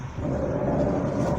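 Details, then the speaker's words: 2014 Audi A5 Coupe electric power steering, no warning lights, windows closed: steady low rough scraping grind under the hum while the wheel turns; caused by water entering the low-mounted steering rack. "então pessoal isso acontece porque isso aqui entrada de água dentro da caixa de direção né"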